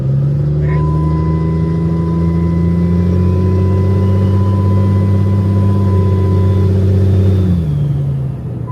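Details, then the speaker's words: 800 hp compound-turbo diesel shop/service truck on the gas: steady diesel drone with loud hiss that fades as revs drop, plus a new vibration; boost leak. "Yeah, there it is. There it is. Hear it? Yeah. That's a boost leak. Yep, that is a boost leak."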